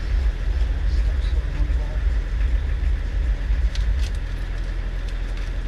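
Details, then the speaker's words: Land Rover Discovery 300Tdi diesel bought at a Copart salvage auction, idling after a jump start following a period of sitting, with oil above maximum and the stop solenoid held. Steady low rumble, even, no misses or knocks: runs fine. "oh all right just hold that stop solenoid on the fire for us oh right it runs so let's see if this works"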